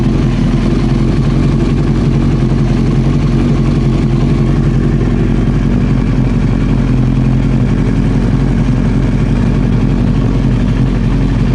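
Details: Old four-cylinder Honda CBR900 Fireblade idling with the fuel tap off, waiting for reported backfiring: steady, even low idle with a soft regular beat, no misses or surging; sounds healthy.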